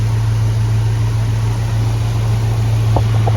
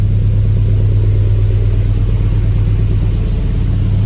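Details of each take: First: Jeep Grand Wagoneer with a Hemi V8 swap, after new IAT, MAP, coolant temp sensors and EGR valve failed to help; a lumpy, uneven, misfiring idle. Fuel pressure reads 78–80 psi instead of 58–60, and a bad fuel pressure regulator is suspected. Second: Jeep Grand Wagoneer with Hemi V8 swap, after replacing IAT, MAP, coolant temp sensors and EGR valve to chase a problem, now firing faster without stumbling: deep steady rumble, even beat, some exhaust leaks; clean idle.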